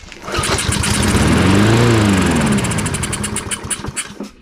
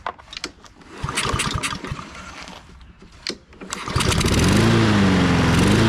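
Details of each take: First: Husqvarna AWD push mower abandoned in a barn 3 years, on starting fluid: rapid cranking catches, sputters into a brief rising burst, then dies; runs only on the spray, no fuel delivery yet. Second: Husqvarna all-wheel-drive self-propelled mower unused 3–4 years, after fitting a replacement carburetor: after cranking and clatter the engine catches and settles into a steady, even drone; normal healthy running.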